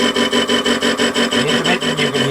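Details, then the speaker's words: WARCO lathe facing across a faceplate/ER32 collet chuck mount with runout, at a bit faster speed. A rough scraping cut breaks off about five times a second as the tool crosses the bolt slots and stops cutting in the groove: a normal interrupted cut. "you can hear is the bolt slots. And obviously when you run into the groove it doesn't cut at all."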